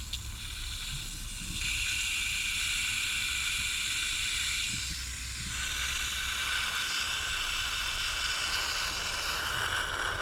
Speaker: If we cut, it's drained, the pressure's gone out the boiler, so this will only breathe in. Let's just cut it. Shouldn't get a lot, might get a little bit. So that should breathe in, can you hear it?